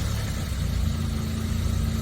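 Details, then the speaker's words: 1987 Suzuki Samurai SJ413, just bought: fires almost before cranking ends and settles into a low, even, steady idle with no misses or knocks; normal start and idle. "I it was already like running before like think it was running and I was still cranking that's how quick it started"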